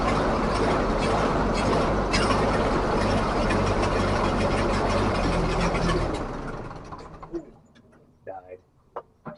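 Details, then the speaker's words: 1944 Ford 2N tractor after rebuild, carburetor not feeding right; starter turns slowly, about four beats a second for six seconds, never catches; owner suspects a starter switch burned from repeated starting. "guess we're not quite ready for that well we're darn close unfortunately close only counts in Horseshoes and Hand Grenades so I got some work to do on this carburetor it's it's not feeding quite right"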